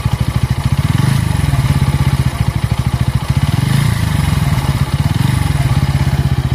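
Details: Bajaj Pulsar N160 engine with a steady fast thumping beat, rough uneven edge swelling and fading; it was buttery smooth until the first service at 500 km and never the same after, cause unknown.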